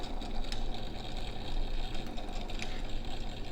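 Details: Vintage Signatrol mechanical neon sign flasher, 1962 or 1982, after replacing the worn brass shaft bushing: even motor whir with quick contact clicks ticking steadily as the disc spins; normal flasher operation.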